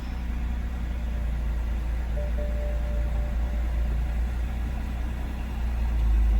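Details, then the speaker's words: 2007–2011 BMW 328i xDrive, formerly crank-no-start (it ran only on ether), fixed after a popped-out part was found in the fuel pump assembly. It had sat a while and needs a tune-up. A steady, low, even idle rumble. Normal idle. "She needs a tuneup. She's been sitting for a while."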